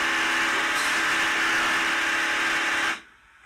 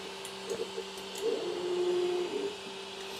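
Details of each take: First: Creality Ender 3 S1 Pro 3D printer: loud harsh grinding with steady buzz as the Y axis drives past home because the Y-axis limit switch failed; fix is replacing the limit switch. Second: Creality Ender 3 S1 Pro 3D printer after replacing the Y-axis limit switch that caused a loud grinding sound: soft stepper hum with light clicks as the axis homes and travels, no grinding. Normal axis homing.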